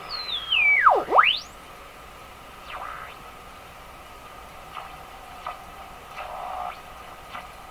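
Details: Westinghouse 535 radio during IF alignment after front-end capacitor replacement: sharp chirping whistle sweeps down and up in pitch as the dial turns, with fainter chirps after; spurious oscillation while tuning, cause not pinpointed.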